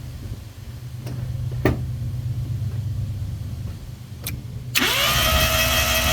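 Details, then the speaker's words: Mazda RX-7 rotary barn find cranking: starter whirs fast and even with no compression pulses, then briefly catches and runs; sounds like very low compression, apex seals suspected sticking, not confirmed. "But I mean, it does sound like the thing's just got no real compression."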